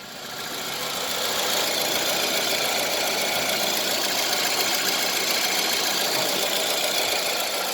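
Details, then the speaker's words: Toyota Isis ANM15 4WD automatic, 1AZ-FSE engine with 104,000 km, tested in Japan before dismantling: steady, even idle with no hunting or surging and a constant hiss, no smoke; normal idle, engine in excellent condition. "Двигатель в отличном состоянии. Работает ровно, оборотом не плавает"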